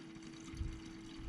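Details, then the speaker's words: 2001 Toyota Camry 5S-FE 4-cylinder with a cold-start problem, fuel pump run by a jumper in place of its relay and the hose off the fuel filter outlet: a loud, steady pump hum with a strong, even fuel flow; the pump is working well. "i can hear the fuel pump run and it's very loud and uh fuel flow is pretty good so this fuel pump out puts a really good amount of fuel it just flows"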